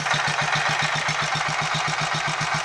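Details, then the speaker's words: Royal Enfield 500 Machismo electric start, India-bought, after timing gear backlash and primary chain adjustment: steady idle with sharp regular tick about eight times a second over thin clatter, seeming to come from the engine; owner-reported noise, cause not yet found. "but as we can probably here these reported noises in here or at least it seems like they're coming from in here"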